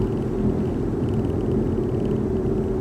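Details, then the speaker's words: 2009 Audi A4, 168,000 km, hot outside, while driving: steady low droning hum with a higher tone over road noise, only above a certain speed, louder from about 100 km/h, mainly when steering left, felt slightly in the steering wheel. "so ein ganz komisches geräusch aber auch nur ab einer bestimmten geschwindigkeit"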